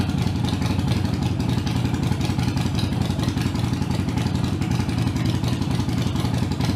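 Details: Harley-Davidson Iron 883 around a Sejati Booster setting to reduce engine heat, played for before/after comparison: even, steady V-twin potato-potato idle beat at a constant pace, no misses, pops or clatter; a healthy, smooth idle.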